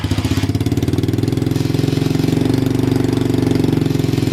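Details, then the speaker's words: Motorbike-engine swapped off-road buggy, quick test run on temporary tank after oil change, cold engine on choke: quick even pulsing beat at raised idle, steady firing, settling nicely. Normal cold running on choke. "well seems to like joke it's cold"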